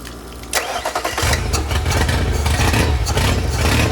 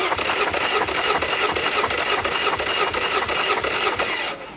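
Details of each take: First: Yamaha 50HP (T50) outboard, one cylinder low on compression: it cranks and catches, then runs with an uneven, lumpy, skipping beat, sounding like it's running on three cylinders; a dead cylinder. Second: Yamaha 50HP (T50) outboard with milky oil and suspected corrosion, cylinder 1 compression test: even starter cranking at about three beats a second, no weak strokes; reads 170 psi, normal compression, matching 170 on cylinder 2.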